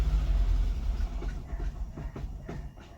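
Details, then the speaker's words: 2000 Jaguar VP supercharged project car, start after a split fuel Y-pipe was fixed (suspected of killing both fuel pumps): the engine catches with a low rumble, then fades into slowing, uneven thumps and stalls. "Alright, it didn't want to stay running. Wonder why that is."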